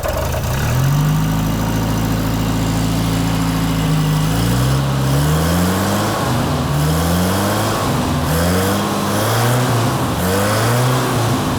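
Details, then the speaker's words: Revived Toyota RA28 Celica fastback engine, cold, before a planned cold compression test; blips pick up cleanly and settle without knocks or misses. Viable, normally running engine. "all right it looks like we actually have a viable engine i am absolutely stoked"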